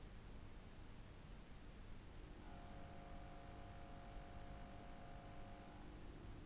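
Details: BK Electronics Monolith DF amplifier: low steady hum with faint tonal buzz from its transformer, caused by a DC component on the mains; fixed with a DIY DC blocker.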